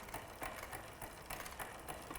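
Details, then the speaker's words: Shimano rear derailleur after clamping cable: rhythmic ticking rattle as pedals turn after one-gear shift, upper jockey wheel not in line with sprocket due to insufficient cable tension; fix by winding out barrel adjuster. "reason for that is that this upper jockey wheel isn't perfectly in line with the sprocket that the Chain's on"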